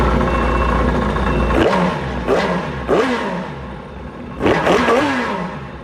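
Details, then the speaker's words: Yamaha 1100 jetski marine petrol engine after repair of a misfire (one injector not firing), fixed by cleaning corrosion from a connector socket: idles evenly and takes clean throttle blips, no misfire. "Wala na siyang mispire. Nakuha natin dito sa socket na ito guys. Nilinisan natin yung mga asin-asin."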